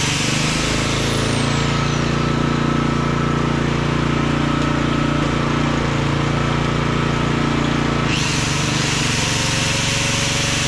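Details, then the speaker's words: Small auction-bought generator running: steady hum with no misses or knocks, one brief tone change; slight fuel weep from the float bowl, a bit stuttery at wide open with choke fully off; normal running overall. "well that ain't bad for H 20 bucks is it wow that sounds awesome"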